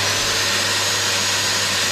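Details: Eco magnet drill after servicing, with Loctite added to the nuts on the vibrating insulation bolts and reassembled, on final test: steady, even motor whir at constant pitch, no rattles or catches; normal running.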